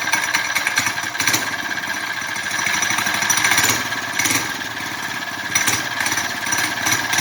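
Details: Big-bore four-stroke single in a belt-drive CVT bike build, first started in almost a year: rapid, sharp popping that rises and falls with the throttle and stays steady. The engine runs fine.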